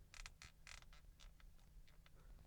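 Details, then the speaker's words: 2025 Lincoln Corsair Grand Touring Hybrid interior: short dry creaks in quick bursts as the plastic panel near the voice-assistant button is pressed, loose or poorly fitted trim. "And there just couple of places where I found the plastic to be squeaky. First one is here."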